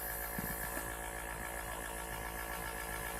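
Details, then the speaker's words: Small airbrush compressor, bought brand new and unused, kept somewhere cool; owner notes how quiet it is. Low, even hum with a faint steady buzz and no knocks or rattles: normal running. "um yeah notice how quiet it is"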